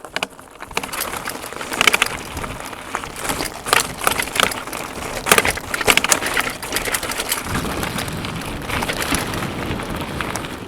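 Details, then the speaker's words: DUOTTS C29 electric mountain bike riding over stony path: sharp irregular clacks over tyre noise from loose front mudguard slapping; otherwise no parasitic noises. "il y a pas de bruit parasite il y a juste le gardebout avant qui claque un petit peu de temps en temps voilà le claquement que vous entendez c'est le gardbout avant"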